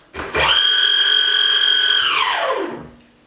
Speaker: If your motors don't work, sometimes you need to just move the motors back and forth until the computer can detect the position and then they'll spin up no way.